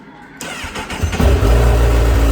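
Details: 2023 Honda CBR1000RR after new battery installation, in neutral: quick crank, catches first try, strong steady idle; clean healthy start.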